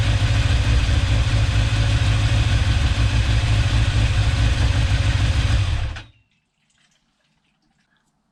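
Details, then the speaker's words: Restored, rebuilt 1989 Kawasaki ZX10 (ZX10B), first start-up on a little choke: even regular exhaust beat at steady idle before switch-off, no misses, knocks or leaks; healthy, may need carb balance later. "It doesn't seem to be leaking or anything. It sounds like it's running quite well."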